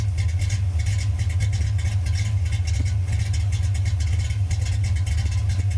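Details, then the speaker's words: Same car with the alternator belt removed, old-school Flowmaster exhaust: steady, even low idle with no knocks, misses or squeals, running great again; normal idle. "ooh she sounds good you got to love them old school flow Masters"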